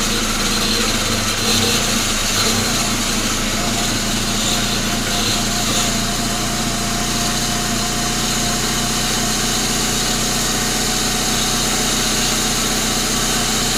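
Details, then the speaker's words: Rebuilt 1999 Grand Am GM LD9 2.4 Quad 4 on first start-up: fast steady idle with a rough metallic grinding, unchanged with revs, from the AC compressor clutch assembly; the compressor, whose shaft seal also leaks, needs replacing. "so this other ac compressor clutch making some noise so so let's make sure it's something on that serpentine belt before we go any further"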